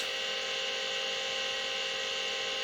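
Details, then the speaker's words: Vintage Seagate 5.25in RLL hard drive, smashed in the mail and said to have a bad sector, low-level formatting without much complaint: steady high whine over a flat hum with no knocking; the spindle motor sounds tired. "and uh the motor sounds a little tired on this thing as well but we'll give it some loving and see if maybe we can uh rejuvenate it a little bit maybe in another video"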